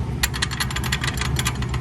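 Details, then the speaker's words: Freightliner Classic diesel truck with a long-running vibration: loose, uneven metallic rattling over a deep rumble from the clutch area; the aluminum bell housing is cracked with damaged holes and the clutch is unaffected; it is being replaced with a heavy-duty bell housing. "did it affect the clutch no there's just rattles"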